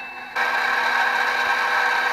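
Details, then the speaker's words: Used HP Infiniium 500 MHz four-channel oscilloscope, case opened while powered: steady high whirring rattle from the small heatsink fan near the display; fan running rough, owner plans to swap in a smoother fan. "sounds definitely coming from in here I I think I think it's that one I think that guy right there the display right here the fans is what's uh what's an in rough"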